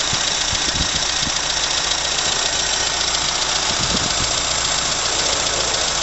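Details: 1980 Leyland Mini started after about 3 months sitting, water topped up, water pump dripping: quiet, even low idle with soft steady pulses under hiss; normal idle.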